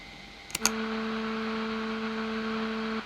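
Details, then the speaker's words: NU-X Cerberus pedal at high gain with a noise gate: two footswitch clicks (boost on), then a steady buzz for about 2.5 s as display interference opens the gate; later fixed with a Joyo ZGP. "the display causes some interference noise so um at the moment i have a noise gate"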